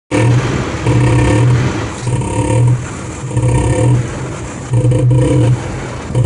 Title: Jeep Wrangler making knocking noise